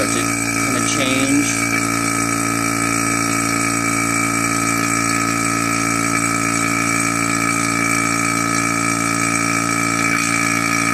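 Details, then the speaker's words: Single-stage 2.5 CFM mid-grade non-name-brand vacuum pump, reaching a bit over -29: loud, steady buzzing drone with a bright whine, louder than the two-stage pump; normal single-stage vacuum pump running. "the single stage is going to be louder and the the the two stage is going to be quieter"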